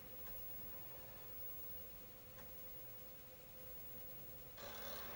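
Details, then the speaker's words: Commodore 1541-II disk drive, newly bought, on a Commodore 64 (owner suspects a faulty CIA chip) loading the Hawk Storm game. A quiet, steady motor hum with occasional soft head clicks, loading evenly with no chatter or grinding: normal loading. "yeah it loads very nicely look storm the same that's on the cover"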